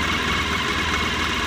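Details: Mahindra Maximo after replacing faulty cam sensor that prevented starting: smooth steady idle, even low rumble, no misses or knocks; engine running normally.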